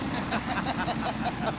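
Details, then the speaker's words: Canso flying boat piston engine on morning run-up after the mechanic replaced a second cylinder: even, steady beat with no misses or stumbles; the earlier fault appears cured, normal engine run-up. "Buffalo's tenacious mechanic, James Dojak, has replaced a second cylinder, and this morning's run-up brings smiles. Sounds good to me. Whatever it was, we cured it."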